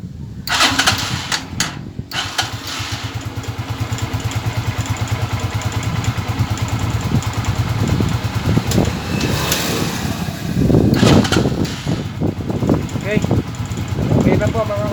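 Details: Euro 150 single-cylinder motorcycle after a hard-starting fix: it catches after a few tries and settles into a steady, even thump around idle, now running cleanly.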